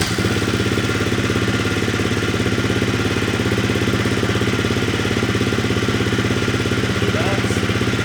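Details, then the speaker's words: 2018 KTM/Husqvarna FE350 single after top-end rebuild at 170 hours (new valves, cut exhaust seats, reshimmed): first start, even steady thumping about 200 beats a minute, no knocks or rattles; normal running. "all right she runs"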